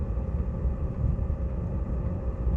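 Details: Chinese diesel heater in a Talbot Express motorhome, after fitting an exhaust muffler/silencer: deep steady rumbling jet-like roar, still loud; owner suspects the motor bearing, not confirmed.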